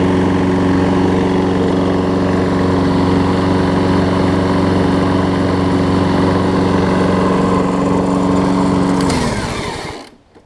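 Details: Troy Bilt self-propelled mower, Briggs & Stratton Quantum, after replacing the wrong auto-choke carb with a primer-bulb carb, warm: an even, steady putter and low hum, then it winds down and stops cleanly. Smokes slightly, suspected from running without an air filter. Runs healthy.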